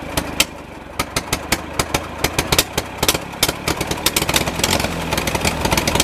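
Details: Massey Ferguson MF 135 tractor, Continental 2.4L gasoline 4-cylinder, after carburetor refit: uneven stumbling idle with irregular loud pops and speed hunting up and down, governor compensating as if fuel-starved; air filter not clogged, cause unconfirmed.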